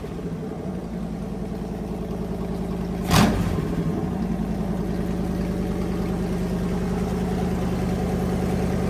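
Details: Fully rebuilt Magnum 318 V8 (360 cam, roller lifters, new timing set, valve job), timing adjusted and vacuum leak fixed, running heat cycles; even idle burble with one clean quick blip, healthy.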